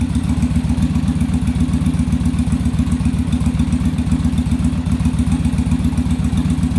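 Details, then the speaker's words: Yamaha Virago V-twin during on-engine carb sync, after raising idle screw and adjusting rear carb idle stop; steady even low thumping about 220 beats a minute, no misses or stumbles; carbs now balanced, normal idle. "all right so now we got them balanced in i just had to adjust that a little bit"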